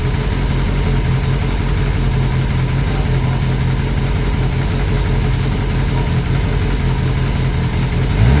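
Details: Classic Mini turbo on first start-up after build: even idle with a light rapid tapping from the top end; sounds almost like a big end but is felt on the rocker cover.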